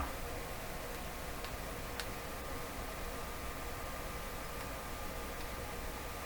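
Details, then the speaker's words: Westinghouse 535 tube radio on a supply with a light bulb, supply around 102 V: faint irregular ticks over steady low hum as tubes heat, normal warm-up; radio then works. "You can hear tubes clicking as they heat."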